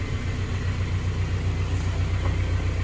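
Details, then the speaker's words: 2007 Honda Civic Si (FG2) with a K20/K24 swap (TSX bottom end, Si head), Hondata base tune, RDX injectors, Skunk2 header, full-race exhaust: steady, smooth idle, no knocks or heat-shield rattle, not very loud; normal idle. "started up the first time been running ever since you know no heat shield noise it's not super loud"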